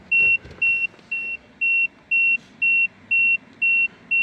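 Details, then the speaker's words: Peugeot 3008 after battery replacement, won't start, BSI flagging brake faults: steady high dash beep about two per second; warning chime, cause not pinned down. "the BSI is flag it had brake issues as well to beat this out so I can check the fuses in a second this beeping is hella annoying"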